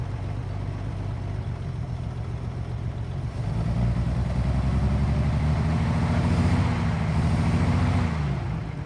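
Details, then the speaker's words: 1940s Chevrolet C30 Blitz CMP truck six-cylinder, first start after sitting 20 years, fed from a temporary fuel tank after basic checks. Steady, even low idle with a smooth rumble rising slightly mid-clip; no knocks or misses, it runs beautifully. "so there we go everybody sitting for 20 years with just a few basic little checks starts and runs runs beautifully listen to that sound of the six cylinder chevy engine"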